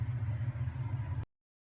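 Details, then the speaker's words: Kenmore washing machine that would not spin the tub, after the motor-area part was replaced and the motor refitted: test run before final reassembly gives a steady low hum with an even pulse and no grinding; tub now spins normally. "now I'm going to put the housing back on and give it a test run before I connect everything back up just want to make sure that it spins like it's supposed to"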